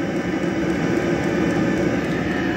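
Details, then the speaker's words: 12 V diesel air heater running after a diesel leak: a steady, even jet-like roar with a constant whistle and no sputter or surging, putting out plenty of heat; normal operation. "Well, it sounds like a jet engine taking off. Which is exactly what it should sound like, and that now, I might just stand behind this for half an hour and warm up."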